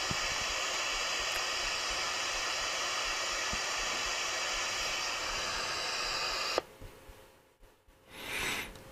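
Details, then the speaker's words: Sony radio receiver under repair: when switched on there is a delay before the steady hiss kicks in, then it cuts out abruptly and goes nearly quiet; the noise comes and goes, and a capacitor not quite charging is suspected but not confirmed. "if I turn it off nothing turn it on dad and then it kicks in it's almost like there's a capacitor that's not quite making it"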